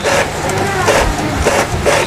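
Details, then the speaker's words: Epson L3250 printer after service for error code 034004, black copy test: carriage sweeps in even whirring passes about every half second with no grinding; it prints, though the page comes out blank. "kita tes fotokopi ya ini kita taruh kertas di atasnya kemudian kita fotokopi hitam Apakah dia akan nge-print ini kita tutup ya uh dia nge-print"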